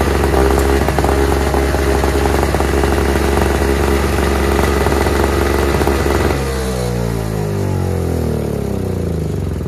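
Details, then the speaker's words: Toro/Craftsman single-stage two-stroke snowblower, the smoky one, stored in a garage over a year and needing quite a bit of work; small two-stroke buzzes steadily, slightly uneven, revs sagging toward the end; runs again once fuel delivery sorted. "today we got three snow blowers going from my garage sitting for over a year getting them fired up those two just needed gas this one needed quite a bit"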